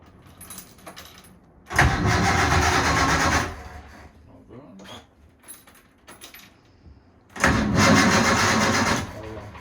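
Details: Inboard boat diesel started to check that the cooling water exits through the exhaust: two short bursts of a mid-pitched diesel catching quickly and running evenly, quiet in between; it starts readily and runs clean.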